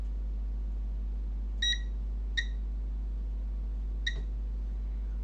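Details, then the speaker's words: Toshiba Satellite P850-31L laptop motherboard with charging fault and power cutting off, power disconnected, continuity test across pins: three short high beeps over a quiet hum; pins connected together, which the technician says shouldn't be. "oh come on yeah these are connected together but this shouldn't be"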